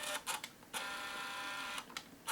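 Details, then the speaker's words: Untested used compact digital camera with small optical zoom, lens often noisy on this model: a few clicks then a steady high buzzing whirr for about a second as lens runs out; very noisy lens zoom motor. "Very noisy, very, very noisy."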